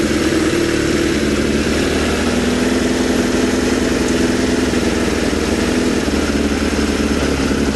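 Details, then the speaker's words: Suzuki Bandit 600 carbureted four running on only three cylinders: uneven, coughing idle on a little choke, beat stumbling as one cylinder cuts out; owner suspects one particular cylinder, not confirmed. "But you can hear it coughing and spluttering again. So that's what's making me think it might be that one."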